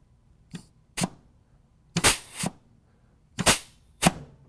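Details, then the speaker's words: Air check of the BR clutch pack on a bench-mounted 13 VTS BB 7229 transmission before fitting the valve body: short sharp air puffs about once a second with quiet gaps; the clutch applies and holds well, air blowing back out when released. "you can see how well that's holding when i pull it out it lets the air blow back out of the transmission"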